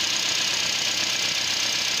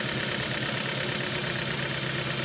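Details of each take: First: Nissan Versa that had low power and code P0304 (cylinder 4 misfire), after the ignition coil was changed: idle holds steady and even with no stumble or skipped beats under the hiss, all cylinders pulling evenly; normal idle. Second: Nissan Versa with code P0304 and power loss on acceleration, at idle: uneven lumpy beat with about two irregular stumbles a second; cylinder 4 misfire, cause (coil or spark plug) still undetermined.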